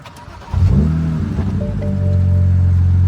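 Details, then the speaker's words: 2007 BMW E92 335i start after codes cleared, with replacement ignition coil fixing the cylinder 5 misfire: quick crank, brief flare, even settled idle, no shake; no check engine light returning. "but now it's not shaking it's not misfiring the engine now is running as it should and yeah all is good"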